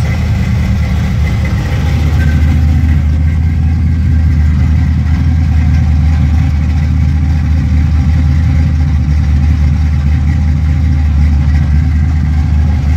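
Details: Engine with a FiTech 1200hp power-adder eight-injector EFI system, first start after four weeks sitting, following the fuel pump prime cycle: deep, even idle rumble holding steady with no stumbles or misses. Normal idle.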